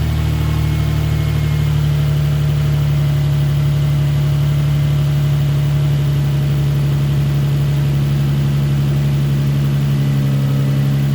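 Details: Nissan 350Z after cylinder 4 misfire code, coils swapped between cylinders and spark plug replaced: steady even idle, no stumbles; misfire gone, code erased, cause was the spark plug; exhaust still smoky from burning oil.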